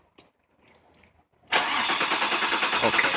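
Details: 2000 Mazda Millenia in for crank-no-start: quiet, then steady fast cranking about three turns a second that never catches; injector pulse present.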